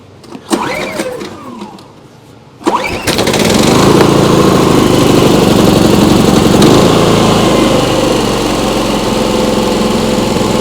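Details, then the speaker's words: Briggs & Stratton P3000 generator after fuel pump replacement and tune-up, on premium ethanol-free fuel. A pull or two, then it catches and settles into a steady, even hum with no surging or misses; healthy start. "that sounds really nice. Just make sure there's no leaks by the carburetor or anything."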